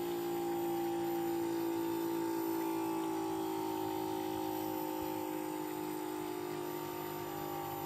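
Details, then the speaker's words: Bosch heat pump in a normal defrost cycle: a steady compressor hum whose clear tones ramp up loudly, then slowly slide back down in pitch as it winds back, with nothing rough; healthy defrost. "you heard how that thing ramped itself up you heard that compressor really kick up there in sound and then it slowly started going back down"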